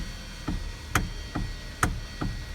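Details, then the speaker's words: 2012 Hyundai Sonata with electric power steering: small dull clunks about two a second as steering wheel turns, heard from the steering column; fix part #563152K000FFF. "so the issue that we're having with this Hyundai Sonata is when you turn this theory will you start hearing a little knocking noise"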